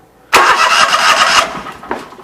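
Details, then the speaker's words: Briggs & Stratton Vanguard engine after rewiring, spark tester fitted, loose spark plugs tightened, ground wire still connected: steady, even whirring crank for about a second with no catch, starter turns it over cleanly, no spark. "Let's just crank it and see if we got spark."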